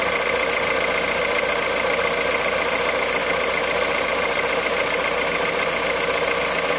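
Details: Cold engine at idle, 65,000 km, 0W30 Total Ineo ECS oil: thin, steady idle with faint rapid tapping in the upper range; unexplained cold-start noise.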